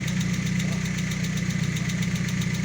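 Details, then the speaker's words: VW Gol engine at idle: fast, even light ticking, about five a second, from a hydraulic lifter whose oil-pressure-filled capsule no longer takes up valve lash; the faulty lifter was removed and identified as the cause. "Acá está la causa del verdadero problema esto se llama botador y como vos ves este es la cápsula que se infla con presión de aceite el aceite entra por este orificio Sí y lo infla absorbiendo la luz de válvu"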